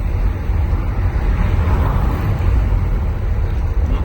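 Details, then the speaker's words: Mitsubishi L200 pickup after replacing the worn shock absorber bushing, driven over cobblestones with rear windows down: steady low road rumble, the former loud metal-on-metal rear suspension noise gone. "tô pegando aqui o calçamento novamente para vocês ouvirem como o barulho ele sumiu"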